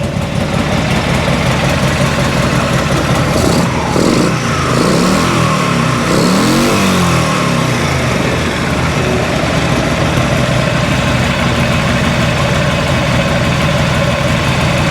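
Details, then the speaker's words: 1986 Harley-Davidson Liberty Edition Electra Glide Classic V-twin, revived after sitting 10 years, with ignition timing just set; it fires up, blips mid-throttle and settles into a steady, even lope before nearly running out of fuel. Running properly, sounds good. "That sounded good. That sounded actually good."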